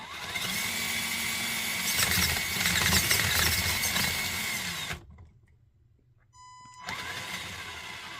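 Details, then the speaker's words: Radiolink Cool 9030 V2 90A brushed ESC on an RC crawler at lowest throttle: thin, steady high whine under the motor hiss; PWM switching noise from the speed controller. "It still does have a little bit of you can hear it right there. So we still have a little bit of line noise."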